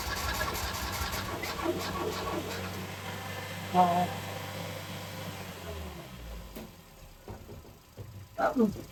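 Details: Ford Escort MK3 Cabriolet under restoration, start attempt: long uneven cranking that almost catches once or twice, then dies away without running; a hard-starting engine that won't fire.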